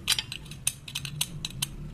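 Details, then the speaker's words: Motor cap bearings turned by hand: grease has turned tar-like and black, lubricant gone, bearings jammed; rough gritty clicking and scraping, uneven and catching. Dry seized bearing, to be removed and cleaned. "Cap के बेरिंगों में जो Greece होता है वो Greece एक डम्बर का रूप ले लिया है, देखिए डम्बर जैसा हो गया है, और पूरे इसके जो लिक्विडपन होता है जिससे जो बेरिंग चलती है वो सब इसमें से ग्रीस खत्म हो गया है। अब ये ब्लैक हो गए हैं, देखिए आवाज़ कर रहे हैं, इस तरह की आवाज़"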